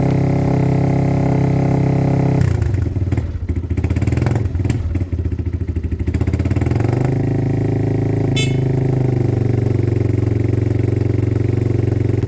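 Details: Weathered motorcycle from Wales on its stand, given a minute to warm up with clutch and side-stand switches disengaged: even idle, clean revs through a few blips, smooth steady return to idle, no knocks or misses; healthy.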